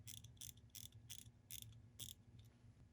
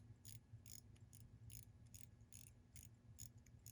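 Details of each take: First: Wristwatch, crown wound: only bursts of crisp ratcheting winding clicks with no steady tick underneath; the movement moves a little but is not running. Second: Faint, crisp ticks repeat at a fairly steady pace over a quiet background from a wristwatch; the movement is running normally.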